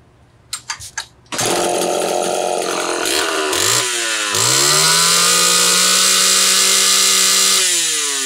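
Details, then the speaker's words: Homelite Super XL chainsaw test run after replacing an out-of-range ignition coil/condenser: a few pull-starts, then it catches and revs cleanly up and down without popping or misfire; ignition popping gone, saw runs healthy. "okay we got it saw is not done by any stretch of the imagination I still need to go through everything clean her up and all that but popping from the ignition is long gone"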